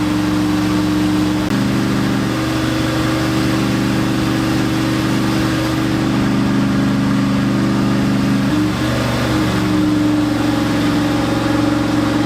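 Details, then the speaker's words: Ford F100 turbocharged 360 FE V8 during failed cam break-in: uneven fast idle with a lazy droning note shifting with throttle, something rubbing, engine got hot; firing order suspected, later the timing chain was found failed, likely having jumped time, with pistons likely touching valves. "So, cam breakin's not going super well. I think we have an issue with our firing order and definitely got her hot."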